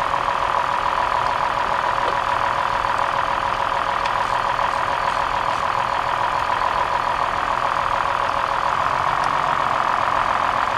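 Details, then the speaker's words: 2003 Toyota Highlander petrol V6 after replacing a bad ignition coil: it idles smoothly and evenly with a steady mid-pitched hum. The earlier trembling and misfire with a blinking check engine light are gone. "oh look at that notice how the engine smoothed right out that little bit of that little bit of trembling that we saw is now gone okay the misfire is fixed"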